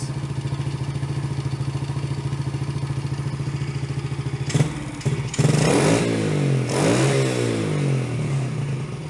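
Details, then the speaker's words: Yamaha TT-R110 running without its airbox after carb adjustment: steady thumping idle, but quick throttle openings stumble and bog before picking up as it gulps air and runs lean; slower throttle opening works fine. "it dog like that because our air box is off it's just gulping air"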